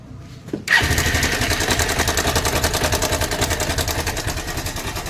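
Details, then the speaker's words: Honda Hornet motorcycle: engine starts and settles into a fast, busy metallic clatter over the idle; timing chain rattle, fix planned by replacing the timing chain adjuster (tensioner). "এই হটনারের গাড়ির problem হলো যারা timing চেনা মারাত্মক আওয়াজ আসছে আওয়াজটার জন্য আমরা দেখাচ্ছি আওয়াজটা কি আছে"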